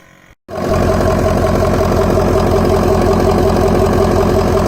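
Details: 2004 Ford F-350 6.0L diesel after Sinister blue spring fuel filter housing install, first start: after cranking settles into steady even idle clatter about four pulses a second, no stumble, no fuel leaks; normal idle.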